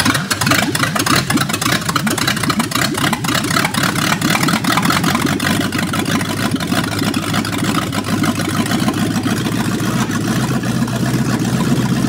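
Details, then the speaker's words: 1965 Ford Mustang coupe engine run with transmission removed, no exhaust and air cleaner off; loud open-pipe rumble with fast, even clatter of sharp ticks, an internal engine knock still present, cause not yet found. "baby kind of cool we have to run because we need to find screw if it's still knocking"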